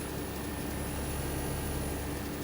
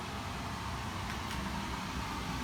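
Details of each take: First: New Trane 20 SEER 4-ton AC condenser with zoning, running outdoors: a soft steady fan whoosh and faint even hum with no rattles. The line set was flushed, reused and pressure tested, and the unit runs very quietly and normally. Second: Existing furnace with about 2-year-old 4-ton Trane outdoor unit and coil, before replacement with 20 SEER zoned system: steady loud rushing air with deep low rumble, blower feeding straight out the cabinet back into the return.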